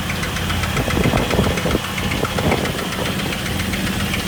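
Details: 2000 Jeep Wrangler TJ 4.0 L six-cylinder at idle: fast even tick-knock, loudest under the engine and on the water pump by screwdriver; began after breaking down and losing all coolant on a roughly 103-degree day; cause not yet found.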